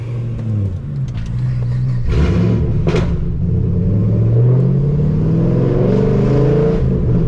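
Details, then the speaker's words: 2010 Camaro SS after repair: pulls smoothly with an even rising note through the revs, no shudder or knock; drive feels much better. "Oh, yeah. It feels wonderful, guys. So much better. It's really incredible how that one piece that one little piece just compromised the entire integrity of the drive."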